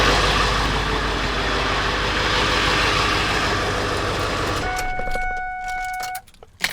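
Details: Ford F-350 7.3 Powerstroke diesel after replacing a 22-year-old leaking fuel bowl drain valve: steady, even diesel clatter at idle, no misses or knocks, no new leaks; normal idle.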